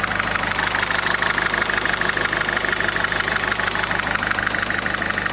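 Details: 2010 Citroën Nemo 1.4 HDi (DV4) 75 hp diesel, 240,000 km: even, regular diesel clatter at steady idle with no misfire or knock standing out; normal healthy idle.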